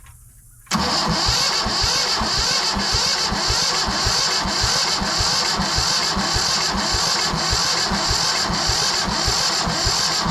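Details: Yanmar 1500 diesel tractor said not to run, cranked with the injector lines loosened to bleed fuel: steady beat of about four compressions a second for ten seconds without catching. Cranks, no start; slow fuel pressure build-up suspected.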